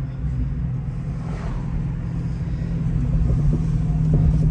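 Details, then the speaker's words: Rebuilt 2019 Dodge Challenger on first test drive, no ABS: irregular loose metallic clacks, about four a second, under low road rumble from underneath; sway bar suspected, later found the sway bar bushing gone. "what the heck? There's something weird going on down there. Hear something clacking and clanking. It might actually be the sway bar."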